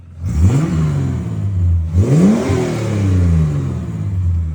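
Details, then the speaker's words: Ford AU Falcon drift project after backyard repair of a failed harmonic balancer: clean blips in neutral, tone rising and falling smoothly, no knock or rattle; engine revs freely and sounds like a car again. "Sounds like a car now. Sounds like a car."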